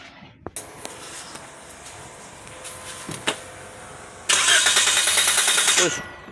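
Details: Toyota Vios dual VVT-i after alternator carbon brush replacement for battery warning light: starter churns about 1.5 seconds before the engine catches; hard starting.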